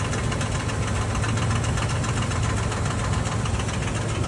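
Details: Toyota Land Cruiser V6 engine: rough idle with a constant heavy knocking rhythm in the low end, steady throughout; carbon deposits were found on opening it, and worn camshaft gears are knocking in the top end.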